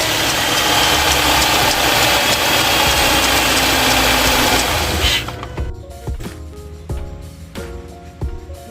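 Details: Burned auction Subaru Forester after the engine was fitted with a used crankshaft pulley taken from a donor motor: engine pulls up strong and even with no wobble, knock or slap from the front pulley, then settles; runs normally.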